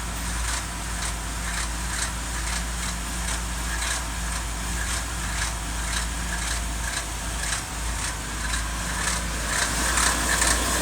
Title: 2019 F150 5.0 rattle noise